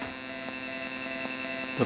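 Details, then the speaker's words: Mortal Kombat 2 arcade PCB sound board, after being accidentally shorted to ground, booting on the test bench. Constant hum and buzz with sharp pops about every three-quarters of a second and no test tone or audio; suspected DAC issue, finding: failed op amp. "pop pop pop of the ROMs being checked that's an issue with the digital to analog converter we did not get a test tone and we don't have any audio we just have the noises"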